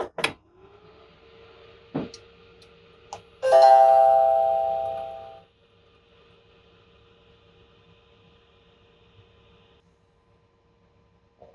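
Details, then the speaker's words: Sunstone Dado laser welder first boot after filling with water, interlock and key plugged in: couple of clicks, steady single-pitch tone and bright chime, no alarm pattern; no water-pump air-bubble error, clean start-up. "so it sounds like we're not going to get that error but if it does happen we can power cycle the machine several times until that error doesn't happen and it boots up just as we've seen here"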